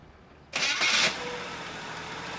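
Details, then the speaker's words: 1968 Pontiac Firebird convertible, number-matching overhead cam six-cylinder, factory automatic: short crank, catches right away and settles into a steady, even idle with no knocks or stumbles; normal start, purrs smooth. "Purrs like a kitten, smooth as can be."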